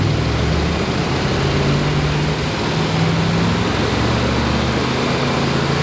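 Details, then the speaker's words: 1963 Corvette split window small-block V8 after first start, during timing setting: steady, even idle with a lumpy solid-cam beat, no knocks, ticks or misses; normal idle. "absolutely uh blown away um to hear it start up and run again and and smell it and it's just um i can't thank you guys enough this is awesome"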